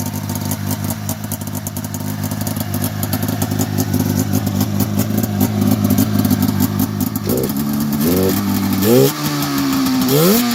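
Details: 1990 Polaris Indy 500 snowmobile after sitting since 2005, with cleaned carbs, new plugs, fresh fuel and the belt removed: a crackling two-stroke idle picks up into several quick, clean blips; it revs freely despite a holed exhaust header.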